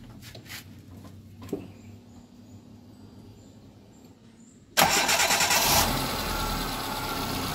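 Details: Hyundai Getz engine after a general overhaul, with the loose timing sprocket welded fixed and compression around 120–130 psi: it cranks quietly, catches, and settles into an even, steady idle with no knocks or misses.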